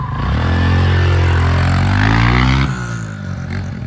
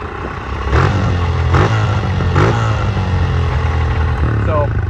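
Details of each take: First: Honda CRF125F dirt bike after cleaning carb, replacing old gas and tightening loose throttle cable: revs up cleanly, crisp steady pull, drops back smoothly with no misses or rattles; healthy revving. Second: Honda CRF125F dirt bike after carb clean, fresh gas and throttle cable tightening: revs pick up then hang high, slow to drop back; owners suspect an intake leak or bad gas, unconfirmed; hanging idle.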